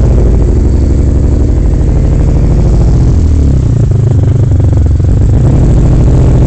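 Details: Vectra V6: loud drone with an uneven, stumbling pulse. Engine misfire, possibly from fueling or no air intake; the engine looks likely to come out again for a full recondition.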